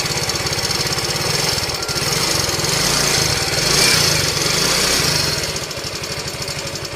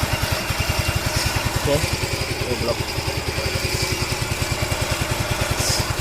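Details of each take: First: Yamaha Ego Solaris scooter engine running rough. A harsh, gravelly rattle over a fast, even beat of about three per second, caused by a worn cylinder and broken cam bearing. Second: Yamaha Ego Solaris scooter after replacing cylinder block and cam bearing for rough engine noise: steady even putt-putt about three and a half beats a second, no knocks or rattles, quiet healthy idle, no white smoke.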